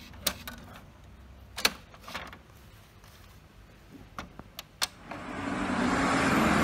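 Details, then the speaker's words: HP printer jammed: a few sharp clicks, then a loud rough grinding rattle as the print carriage strains; "print cartridge cannot move" warning. "How to fix the problem of HP printer dengan masalah yaitu macet, kemudian muncul suara yang sangat keras ya, suara yang kasar, suara gemblodak yang sepertinya suara ini muncul dari mekanik yang ada di bagian dalam dari printer ini."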